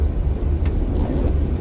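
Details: Rabbit with 270,000-mile chassis, rainy test drive after wheel bearing and spindle replacement: only low road rumble and wiper swish, no plane-like growl rising with speed; the new wheel bearing sounds normal.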